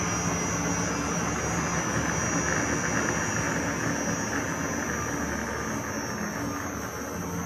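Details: Victor lathe running on a new VFD after fitting a new pulley and brake drum with the brake band realigned. A steady, even motor roar with a faint high electronic whine and no knocks or rubbing; the drive runs smooth and healthy.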